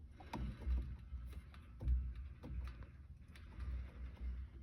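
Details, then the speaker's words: 2015 Volvo S60 T5, raised, with the steering wheel turned slowly each way. Dull, irregular low clunks that seemed to come from the dashboard. The cause is a worn strut top mount bearing, visibly jerking back and forth. "all right you could feel it right in the spring top bearing on the strut is a little wonky you can actually see it jerking back and forth do it again yep that's our noise"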